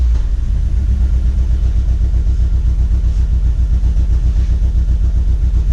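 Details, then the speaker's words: Chevrolet HHR build with fresh engine and turbo, after the timing was corrected and the tune installed, started with no codes: steady, even low engine note with a smooth pulse and no misses or knocks; normal running. "We started up the car, we got no codes. We let it run for a little bit, still no codes."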